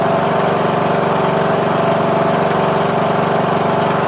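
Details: Murray Select 14.5HP 42-inch lawn tractor after starter motor and stator replacement, with headlights disconnected so it charges at 13.5 V: steady, even single-cylinder thump at constant speed, no misses or surging; running healthy.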